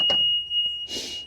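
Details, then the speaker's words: EZGO PDS/TXT golf cart that won't run, with a new controller fitted: steady high-pitched continuous beep with the cart in reverse; reverse buzzer working, showing the reverse switch is good. "You can see right there the buzzer works. Put it in forward and gas. All right. Nothing happens. So, when whenever you put it in reverse and the buzzer works, that tells you that the re switch is good."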